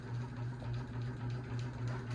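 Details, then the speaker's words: 52-inch bronze unknown-brand Hugger ceiling fan (Harbor Breeze brackets, Hunter blades, Patriot Lighting Arthur motor housing) on high speed: a loud low hum throbbing about three times a second. It wobbles heavily with barely any airflow; imbalance suspected, not confirmed. "This is the loudest fan this is the loudest and possibly the wobbliest fan we own."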